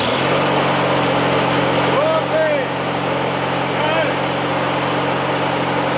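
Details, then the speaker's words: Craftsman L9 lawn mower small single engine after a new replacement starter (aftermarket Briggs-type) was installed: smooth, even drone at steady speed with no knocks or misses; normal running after repair. "Okay, so now all we have to do is put all the little peripherals and covers and etc. back on, but yeah, finally got it done."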